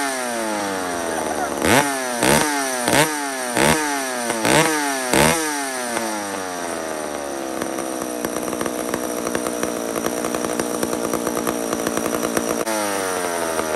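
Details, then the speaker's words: Mac 125 SP chainsaw with single-jet carburetor, repeated rev bursts then a held high buzzing scream, a sharp "whack" right where it turns too lean to idle; carburetor set at the lean limit. "so it goes to a spot where did you hear it it just goes whack and that's right on the cusp of where it's too lean and it won't idle that's that single jet"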